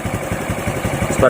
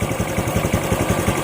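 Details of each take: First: Honda RS 125 FI single-cylinder motorcycle after spark plug cap was cleaned and properly screwed back on: steady even quick idle with no misses or knocks; confirms the cap was the misfire cause. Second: RS 125 FI motorcycle with new throttle body, spark plug and fuel filter, losing RPM and power on acceleration; uneven lumpy idle, about six irregular thumps per second with skipped beats, misfire traced to a faulty spark plug cap.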